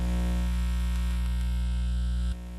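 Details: Indoor loop antenna on a ham receiver, being fine-tuned for lowest SWR after moving up in frequency, with a neighbor's leaf blower nearby: a loud, steady low buzz with hum and hiss that drops sharply as the loop tunes to resonance. Ordinary noise pickup.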